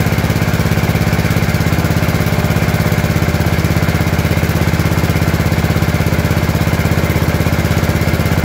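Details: Gravely 814 single-cylinder tractor that sat outside for years, restarted after an oil change. Strong, steady, even low thump at about 200 beats a minute: running normally.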